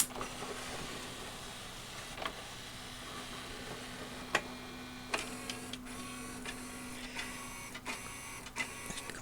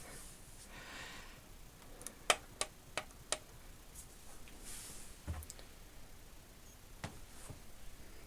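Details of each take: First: RCA RS2654 shelf system CD changer after disc-sensing IR LED emitter repair, powered on: light motor whir under scattered clicks, then a quick run of clacks before settling; normal start-up sequence. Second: RCA RS2654 shelf system CD changer: four sharp clicks then no spin-up, shows disc fail; unit cannot see loaded discs, traced to dead IR emitter LED, later replaced; KSS-213CL pickup also suspected defective.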